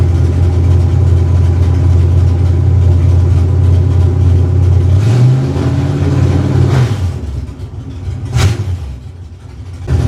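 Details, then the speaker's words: V8 with shortened plug wires fitted with new terminals: even steady idle rising smoothly through a couple of revs and settling, no stumble or miss, no sparks seen; healthy running. "As you can hear, there's no missing. Everything runs smooth. Everything looks good."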